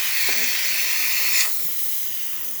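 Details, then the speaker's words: Breville espresso machine after a full service and factory reset. A strong, even high steam hiss for about 1.5 seconds that then tapers off: heavy steam with healthy pressure, normal steam wand. "You can hear the steamer is definitely working. Nice heavy steam coming out of the one."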